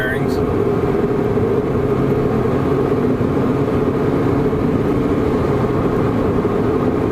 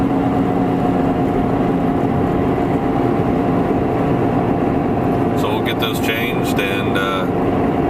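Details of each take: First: 2007 Toyota Prius at 75 mph after wheel bearing replacement: steady, even road and tire rush with no growl or rhythmic hum, much quieter than the noisy bearing noise before the repair. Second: 2007 Toyota Prius at about 75 mph, heard from inside the cabin: steady droning hum with a faint tone over road noise, which quiets as speed changes; worn wheel bearings, later replaced.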